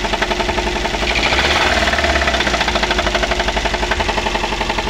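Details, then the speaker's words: Daihatsu Gran Max before repair, running rough and low on power, being revved. Hard, regular metallic knocking about four per second, as if the engine is about to break: connecting rod knock. "Lagi Nah untuk suaranya seperti itu ya teman-teman seperti ee mau pecah di bagian mesin ya"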